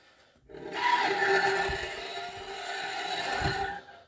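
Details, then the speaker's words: Mercedes ML W164, shuffling metallic rear-wheel noise: thin scraping hiss with a ringing edge swelling and fading with speed, rear brake dust shield loose and rubbing the disc after its bolt hole rusted through. "Такой звук. Шаркающий. Шик-шик-шик-шик-шик-шик."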